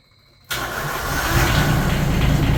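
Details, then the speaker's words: Used Yanmar 3TNV70 diesel from a JD Gator swapped into a CAT 300.9 mini excavator; quick start then steady, quiet even idle, no knocks or hunting, no smoke, quieter than the old engine: normal idle. "It's very quiet, a lot quieter than the other engine. She's back working again."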